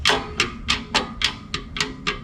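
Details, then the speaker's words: Bench test of new Southeast Clutch setup for a buggy with a forged Mirage 1.2L turbo engine: light metallic clacks about four per second as the freed disc flops up and down; clean clutch release. "The disc can actually flop around up and down in there. So that is a clean release."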